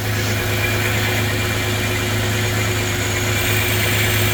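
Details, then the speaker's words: Chevy S10 with a swapped 3.4, running. Steady, healthy idle with a smooth low drone. The 1986 pellet-style converter keeps the exhaust soft and muted. "Now, this thing still has the pellet style converter on it from the from 1986. So, you don't have much of an exhaust note."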